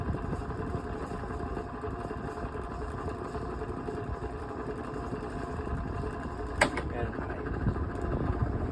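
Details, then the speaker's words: Vintage Dayton 16-inch oscillating desk fan made by Lasko, on high speed, gives an even, steady rush of air over a low hum with no rattle. Medium rattles badly and low needs work; high is the only speed that works normally. "High speed is the only speed that it really does work on. As you can tell, the fan is much quieter. The noise has stopped and it's blowing a lot of air now."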